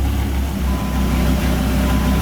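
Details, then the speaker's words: 2000 Dodge Viper GTS after a Tremec T56 rebuild for a clicking, rocks-inside noise: in first gear with the tires spinning, a smooth, even low drone with no clicks or grinding, so the gearbox sounds healthy. "first gear tires are spinning second gear second gear works tired of spinning third gear third gear is working fourth gear"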